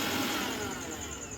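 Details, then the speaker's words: Mixer grinder that would not run, with the overload switch tripped, tested after fitting a new switch: steady, even high whine with no stutter or knocking; runs very well, no problem. "চলছে খুব সুন্দর চলছে, কোনো problem নেই।"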